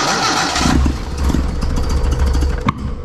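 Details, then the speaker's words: Datsun 1200 (Nissan Sunny truck) EFI conversion on Haltech, third start after about 18 months: cranks, catches with a lumpy stumbling rev and a sharp pop; rough start on an empty base map, tune needs work. "it's a start bu needs a little bit more work it's on a nothing program"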